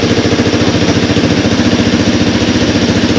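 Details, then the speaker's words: Honda TRX200 ATV, bought seized after running low on oil. Carb not yet removed or cleaned. Steady, even single-cylinder idle with a regular beat and no knocks or misses: normal idle. "I'm just going to let it run until that thing runs out of gas I'm going to stand here and just giggle because that's why I do"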